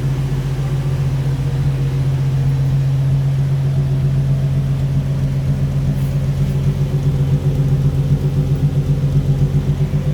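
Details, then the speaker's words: 1964 Ford F100 with automatic transmission fires right up without gas pedal: deep, steady, even six-cylinder rumble at idle with no knocks, misses or hunting; runs smooth and healthy. "it does fire right up and we can hear it running no gas pedal needed fire's right up it runs nice and smooth"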